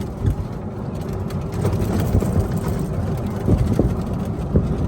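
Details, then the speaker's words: Club Car Precedent golf cart with a Madjax triple track roof, after the roof squeak fix and lithium battery upgrade, driven over a bumpy road: only low tyre rumble and soft thumps, no roof squeak or rattle. "is quiet super quiet that fixed the problem"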